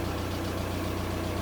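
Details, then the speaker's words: VW Caddy 1.9 SDi diesel after cleaning around the ECU and throttle position sensor: steady, even idle clatter with no misses; runs normally now, though owner expects the throttle response to drop out again when driven. "so now it works absolutely fine but I guarantee you you drive down the road 2 mil and the throttle will disappear"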